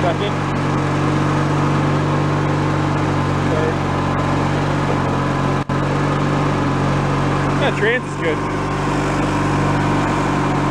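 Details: Free, previously derelict Craftsman riding mower, function check after electrical and safety-switch repairs with spindles checked not bent: steady engine drone with the deck spinning, no grinding or bearing squeal. Deck fairly quiet, bearings not noisy, runs normally.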